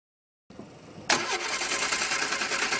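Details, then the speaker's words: Barn-find Triumph Spitfire, carburettors just roughly rebuilt after being clogged: starter whirs and the engine turns over evenly but never catches, because the ignition coil lead was left unplugged. "I'm really dumb I forgot to put the plug the coil in there"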